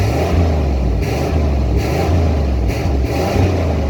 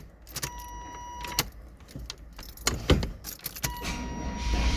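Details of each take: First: 1993 GMC Yukon started after sitting all winter on old stale fuel, with a new sending unit: deep engine rises and falls through several throttle blips, pulling up cleanly each time with no miss or knock; sounds healthy. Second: 1993 GMC Yukon after sitting all winter on old stale fuel, new sending unit fitted: key clicks, then a long steady churning crank that finally catches into rough running; hard start, owner suspects stale fuel.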